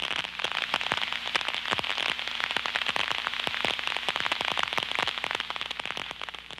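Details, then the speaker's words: Ultrasonic leak detection with an Ultraprobe 2000 contact probe on a low-level vacuum system, using liquid leak amplification: dense, irregular crackling and popping like frying fat as liquid sucked through the leak forms bubbles that collapse. "when the liquid is sucked through the leak site it will form bubbles that collapse creating ultra sound detectable with the contact probe"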